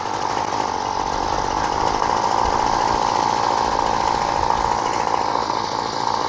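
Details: Aging Flymo Maxi Trim two-stroke pull-start petrol strimmer with a troublesome choke system and degraded air filter: high, buzzy note that wavers and stumbles at part throttle while backing off choke instead of holding steady; running rough, dirty carburettor jets.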